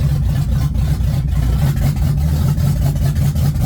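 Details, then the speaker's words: Mustang with a welded, reinstalled transmission and fuel pump wired straight to the battery, driven cold with no warm-up: loud low drone with uneven lumpy pulses; rough running, owner suspects misfiring, later stalls and may not leave first gear. "Going backwards. Alright, we're moving. Sounds like it's misfiring for sure."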